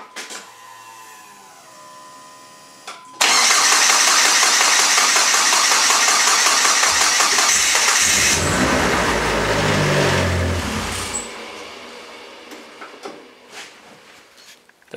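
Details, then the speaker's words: Dodge SRT-4 (built bottom end and head, AGP Zeta 2.8 turbo, built stage 3 transmission) started for the first time after rebuild; brief starter whirr, catches instantly and runs strong with a clean rev and even settle, normal start and running. "Go Runs again that was actually very nervous to start it up so glad I go up correct in there sounds good"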